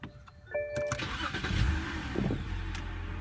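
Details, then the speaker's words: BMW with earlier misfire on cylinder 4, throttle code and stalling, after cleaning with carbon cleaner: engine cranks, catches and settles into steady idle without RPM jumping; engine light still on. "that's how my RPMs um look like now they're not jumping no more like how they were before so right now my engine is trying to adjust to the idle"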